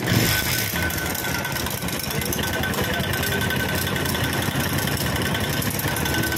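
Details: Small bike engine (LS135) at idle, steady but busy, with a dry clattery rattle running evenly over the idle; source unclear, engine noise.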